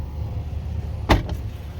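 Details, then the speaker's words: 1979 Lincoln Continental passenger front power window before repair: a single heavy clunk as the window motor runs, heard even when stopping and bumping the switch; the driver side did the same before its repair. "that big clunk yeah that's what I was avoiding and you know when I was stopping it like like this and just bumping it still makes the clunking sound"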